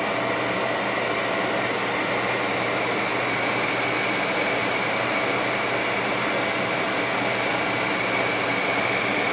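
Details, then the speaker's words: Goodman 90+ gas furnace on a no-heat call, 3-blink pressure-switch-failed-to-close code, switch jumped out to run: ECM blower motor ramps up into a steady, smooth air rush with even hum, no rubbing or rattling. Normal blower operation. "oh no it's not no it's no it's uh gonna hit the ecm motor ramping"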